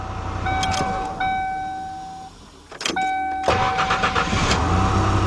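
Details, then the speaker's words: 1991 Mercury Cougar 3.8 after starter replacement and new battery terminals: repeated short starter whirs, each catching cleanly and settling into a steady idle with no grinding. Engine shut off and restarted several times; the starter engages properly. "what you want to do is shut it off a couple do that a few times you want to make sure that started as definitely engages and no issues"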